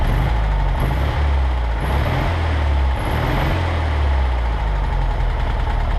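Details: 1963 Volkswagen Karmann Ghia air-cooled engine, first run in over 10 years after parts replaced: deep, steady putter holding an even idle without stumbling; normal running.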